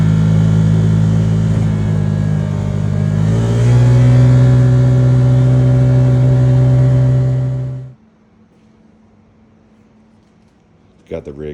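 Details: Can-Am Commander after a driveline rattle fix with a new carrier bearing and a heater-hose sleeve. A smooth engine drone rises briefly then holds steady, with no rattle or clunk from underneath; the driveline sounds normal.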